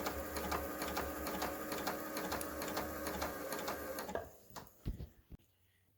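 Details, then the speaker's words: Kenmore 385-19550 sewing machine after repair (twisted part had pushed the shaft out of alignment; wrong pattern stitches and speed control fixed), speed adjustment screw centred: quick, even ticking for four seconds, then clean stop; smooth, no rubbing or grinding. "So now the problem is solved."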